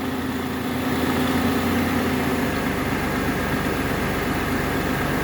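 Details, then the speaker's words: Engine idling on its first start after a new battery, headlights on, during an alternator output test showing good voltage: smooth even low hum, no knocks or squeals; normal idle. "i just put the battery in and so that was pretty good that it actually learned how to idle that quick"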